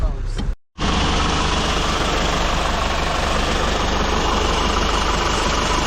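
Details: Hyundai H100 CRDi diesel pickup, 215,268 km, after timing chain replacement for loud chain knock: after a brief cut, even steady idle with no rattle or slap; engine sounds healthy.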